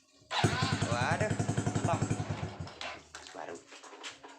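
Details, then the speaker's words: Honda Revo Absolute starter motor with a cracked magnet, tested after repair: starter spins the engine briskly with even compression pulses, about four a second, then it catches; starter working normally. "Kiểm tra ngay bộ khởi động , nó bình thường đúng không"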